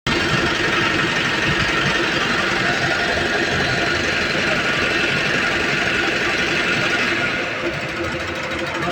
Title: INNOVA INJECTOR PROBLEM LOUD NOISE